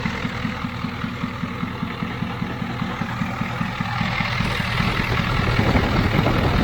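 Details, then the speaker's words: Ford 7.3 IDI diesel dually, first running after fitting a low-pressure fuel pump and bleeding lines: heavy lumpy clatter that bogs and won't take throttle; owner suspects overfueling from leaky o-rings. "Kind of boggy though. I think it's getting too much fuel. Don't want to take the gas. It's taking it good at first. I still think it's getting too much fuel."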